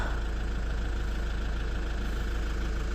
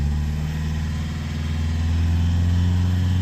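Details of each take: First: Lexus IS220d diesel after cleaning and refitting the EGR valve that caused limp mode: a steady, even idle clatter at about three beats a second with no stumbles. No codes, drives normally; normal idle after repair. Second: Lexus IS220d diesel in limp mode, foot flat in second gear, topping out around 30–31 mph: flat, steady drone with no pull or rise in revs. Owner expects the common EGR fault before scanning.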